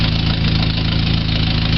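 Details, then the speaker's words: 2000 Chevy Tracker 2.0 four-cylinder idling after timing chain replacement; steady low rumble with even firing beat, no knocks or ticks, running healthy again, though owner mentions a transmission leak and belt needing driving to settle. "but yes as you can hear it has a transition League but at least it's running again"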